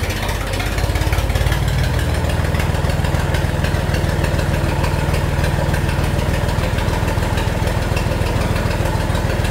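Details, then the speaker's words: Tractor running straight-piped after its muffler rusted and broke off at the weld while dragging debris with a rake; raw, blatting exhaust with heavy low thump at steady speed, no muffling; obnoxiously loud. "Well, the muffler rotted off and just broke off when I was in the woods dragging a bunch of debris and small trees around with the rake. It has been obnoxiously loud being straight piped, and I'm tired of it."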